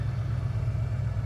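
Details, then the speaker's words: 1991 Ford Bronco 5.0 fuel-injected V8, 5-speed, after fixing an O2 sensor code 41 lean fault, warm: steady low idle rumble with an even pulse, no hunting or stumble. Normal warm idle. "it will eventually drop down to where it's supposed to be as you can see where it's out right now it's rock solid it's not going anywhere"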